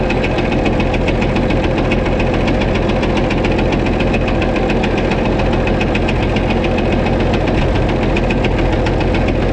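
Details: White 2-155 tractor engine idling after restart, steady hammering knock about three to four per second with slight miss; blow-by, exhaust and oil pressure normal, internal knock cause not yet found, engine work planned.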